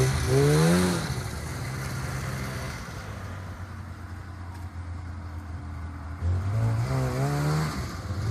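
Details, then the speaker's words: Polaris 500 Widetrack two-stroke snowmobile, started after sitting about six months with a booster and a little fuel: revs cleanly, pitch climbing and falling smoothly with throttle, steady idle between, no knocks or misfires. Healthy engine. "after starting right up the Polaris 500 wide track ran like a [Music] dream"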